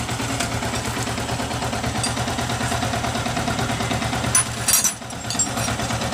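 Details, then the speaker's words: Yamaha R15 single-cylinder motorcycle after engine rebuild for rough noise from over-tight, worn valve adjustment: steady idle thrum with no ticking or clatter from the top end; normal idle after repair. "desa beres juga halus mesinnya ini"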